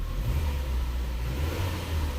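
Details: Ford (2009–2013 Fusion/Milan/Escape/Explorer/Mariner) engine running at part pedal while live throttle data is monitored on a scan tool: steady low rumble with a smooth, even rise, no misses or stumbles; running normally.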